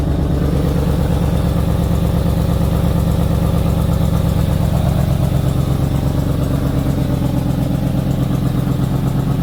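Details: 2004 Ford Expedition 4.6 L that starts briefly then stalls: with the MAF sensor unplugged, it keeps idling with an uneven, loping pulse. A failed MAF sensor is suspected, not confirmed.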